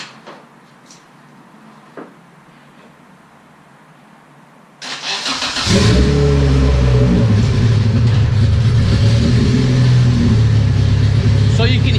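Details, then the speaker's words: Newly swapped LS/VTEC turbo Honda Civic, cooling system not yet bled, alternator belt off so it runs on the battery: a few quiet seconds, then cranking into a steady idle with no rod knock. Normal start and idle. "that it doesn't have any rod knock noise it actually sounds pretty healthy"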